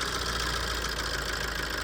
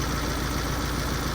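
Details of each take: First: Tata 2.2 common-rail 140 hp diesel dump truck, previously not starting after long parking, now idles evenly with mild clatter after injector cleaning, cylinder 2 injector replacement, injector coding and ECU registration; the loud rattle is gone. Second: Tata 2.2 common-rail diesel dump truck, 140 hp, long-parked no-start, after engine wiring harness replacement; idles rough and uneven, not on all cylinders, faulty injector on cylinder 2 found: diesel engine misfire (dead cylinder).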